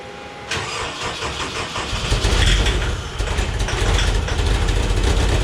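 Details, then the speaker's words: Homemade race car "Scrap Metal" with a 20-year-old engine tuned while the old fuel pump was dying; hard to start after fuel pump replacement. Brief crank, catches, runs lumpy with uneven surging beat. Owner suspects the tune; plans starting spray as stopgap. "yes i think the issue is the tune uh when we got it tuned the fuel pump was dying yeah i think i need to get in and mess with the tune"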